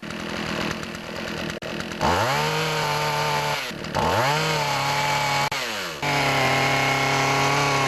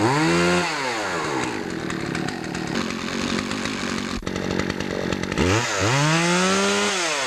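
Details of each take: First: Poulan Pro chainsaw running with its old clogged air filter: revs up, sags and stumbles, running rich as if the choke were on, won't idle well when warm, lacks full RPM; clogged air filter, fixed by replacing it. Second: Poulan Pro chainsaw after fixing a clogged air filter and sharpening the chain: revs up cleanly to a high steady scream, holds under cut, drops and picks up crisply, no bogging; normal running at full speed.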